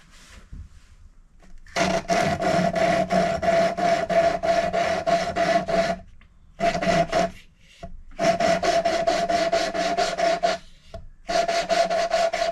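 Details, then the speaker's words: Hand-lapping a valve with coarse paste on an older head with slight pitting: gritty back-and-forth rasping, about three strokes a second in bursts; seat not yet mated, one more coarse pass then fine paste. "So I think we need one more go with the coarse, and then we'll give it a couple of goes with fine, and then probably done."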